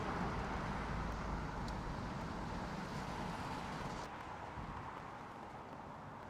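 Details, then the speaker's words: Repossessed Range Rover 5.0 SVR after a major failure and repairs, heard while being driven with road noise: smooth, even, crisp V8 note with no knocks or ticks, pulling strongly, normal engine running. "wow that is that sounds crisp as anything and that did just take off"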